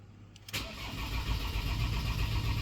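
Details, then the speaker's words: Ford Transit diesel cranked with crank angle sensor disconnected: steady low starter churning at even speed, no firing, until the oil pressure light goes off showing oil pressure built and it is safe to start. "and there we go you just saw that the oil pressure light went off so that means we've got um oil pressure built up in the hole of the engine so this way you know now it's safe to start"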